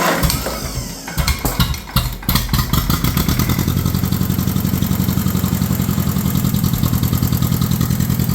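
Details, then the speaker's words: 1953 John Deere 40 tractor on full choke, neutral, before testing the rebuilt hydraulic pump: cranks, catches unevenly, then settles into a loping, slightly uneven beat; running rough, carburetor still needs to be gone through. "uh it's kind of running like crap though cuz like I said the carb does need gone through"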